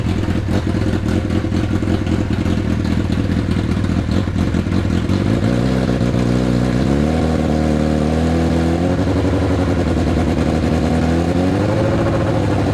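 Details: Neglected Hayabusa engine on a jerry-rigged setup after replacing a couple of injectors, injection light now out: fires, settles, revs up and down smoothly with even beat, no knocks or rattles, healthy.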